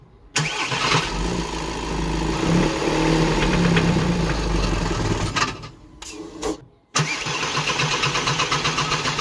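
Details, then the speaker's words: VW Crafter campervan diesel that smoked heavily with fume smell and cut out when hot: cranks and catches, knocks about four times a second at idle, stalls briefly and restarts; believed injector knock rather than rod bearing, unconfirmed. "You can hear a knock, and if you're not familiar with cars, that sounds like engine gone, like rod bearing, but that is actually commonly known as injector knock, and it just sounds like the metal is hitting something, and it does not sound nice at all."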